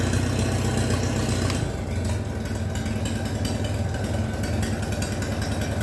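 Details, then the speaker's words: Minneapolis Moline BF tractor after in-frame engine rebuild, idling without muffler, possibly not yet warmed up: loud, open barking idle with a steady low thump, no knocks or misses; normal idle without muffler. "So that's what she sounds like without the exhaust and idle, without the muffler, I mean. I don't think it's just warmed up yet. It's probably warmed up yet."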